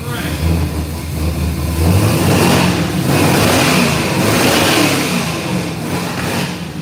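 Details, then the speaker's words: 1967 Camaro V8 after fixing earlier rod-knock-like banging noise: catches and revs up, rumble rising and falling evenly with no knock or rattle; healthy bottom end after repair. "Str all right I think we got the camarra running and driving I don't think we have to do anything else to it it's a done deal and it's all over with that's it um no noises no rattling the car shifts and drives"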